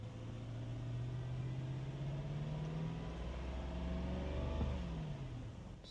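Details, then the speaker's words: Lexus LS430 V8 (2001–2006) at 223,456 miles, revved just after an oil change and maintenance reset, before reaching operating temperature: smooth blip up and clean settle, even note, no knocks, rattles or misses; engine sounds healthy. "And I always like to give it a little rev to make sure it sounds good."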